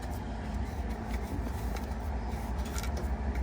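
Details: Samsung top-control dryer after its badly clogged blower wheel was cleaned out runs with a steady, even low rumble and no knocking or scraping: normal operation.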